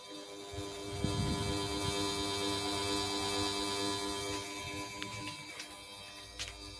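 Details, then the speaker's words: SMC Omega KW52 ceiling fan with clipper light kit, December 2008, running across speeds: steady humming drone with several fixed tones; noisier than it should be, cause unclear. "It is pretty noisy, as you can hear."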